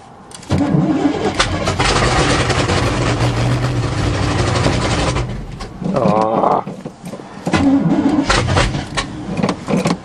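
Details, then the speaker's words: 1977 GMC 400 truck in cold weather, carb bowls primed after choke pull-off rod adjustment: starter grinds about five seconds, then turns over in short bursts on weak batteries but never catches; cranks, no start. "that's a crappy battery damn it okay we're up for battery number two oh no way keep trying I sure hate the cold-weather battery number three"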